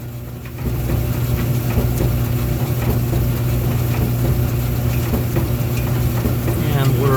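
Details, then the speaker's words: 1990s Speed Queen retired commercial gas dryer after replacing a failed gas igniter. A steady low drum hum with an even rumble and no scraping or ticking; it is turning and heating normally again. "And as the title says, it will ignite the gas and cause the dryer to heat up. So there it is, heating up."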